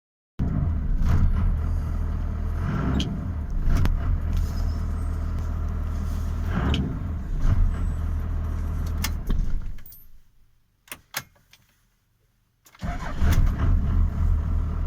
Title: Cummins 12v rough idle